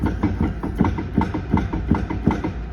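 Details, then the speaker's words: Small Walcker pipe organ in Kazan, keys being played: hollow wooden clacks about three times a second, far too loud, from the worn tracker action. The first manual has sag and play, and its key bushings are worn. "Do you hear that knocking sound? Actually, the struts are the main reason I came here. Because, ah, the tractura sounds louder than..."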